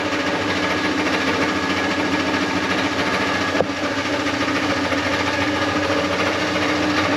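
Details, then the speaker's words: LS-swapped truck V8 idling with an uneven chattering kick from underneath, felt as shake in motor and drivetrain; owner thinks flex plate bolts were loose, bolt holes ovaled out. "So you just hear it's got that kick to it. It's, you know, really annoying. Gives you a shake while you're driving. You feel it in the motor and the drivetrain."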